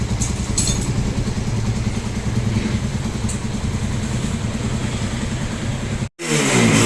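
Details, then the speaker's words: Single-cylinder motorcycle at idle after timing chain and guides were replaced along with other damaged parts, original tensioner reset and reused: steady, even idle with a soft regular beat, no engine noise or misfire; normal idle. "so after gawin at palitan yung mga damage parts ng motor ni boss no okay na yung motor niya wala ng ingay ah maayos na yung Menor at hindi na siya palyado"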